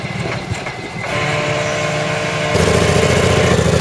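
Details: CVR(T) Striker FV102 Swingfire tank, August 2010: engine catches and runs rough, with a lumpy, stumbling beat; misfiring badly, caused by a stuck valve; engine later replaced.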